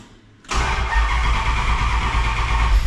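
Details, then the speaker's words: Cammed 5.9 Magnum in a D150 on first start with new Holley EFI and base tune, one lifter replaced: catches after short crank, steady rumbling cold idle, no lifter tick anymore; running pretty decent. "and as you can see she is running now I do not have the Bell up but running pretty decent as you can see it's running pretty good I don't have a lifter tick anymore which is awesome"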